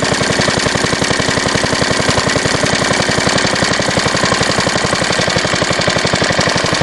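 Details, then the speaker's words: Fairbanks Morse Z style D stationary engine, magneto without impulse, after points cleaning, oil change and fuel system cleaning: loud sharp firing beats at roughly 220 a minute, uneven and surging, running too fast and hunting. "run a little too fast usually R's a little slower than this and it jumps around with that cheap little"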